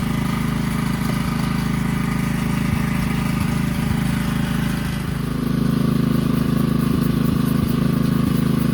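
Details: 2009 Kawasaki KLX140 dirt bike, sat about two years, jump-started with no battery; fired right up: even regular firing at steady idle, clean exhaust beat, no stumbling or mechanical noise; runs pretty good, normal idle.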